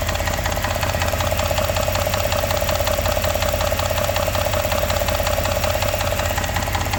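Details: Engine at steady idle: a regular sharp knocking of about 160 raps a minute, riding clearly over the engine; a knocking engine.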